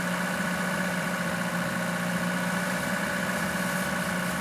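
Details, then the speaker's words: Lada Niva carburettor engine, woken from winter storage with long-running idle problem: steady low idle with slight uneven shake; disconnecting the carburettor idle cutoff solenoid wire changed idle, pointing to the solenoid's power circuit. "Итак, вот этот соленоид. Холостой ход сразу пропал. Так что это была проблема."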